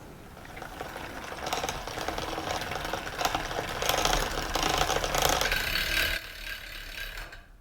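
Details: Bicycle: rapid grinding, scraping rasp about four times a second as the pedals turn, the chain rubbing the front derailleur cage, which needs fine-tuning.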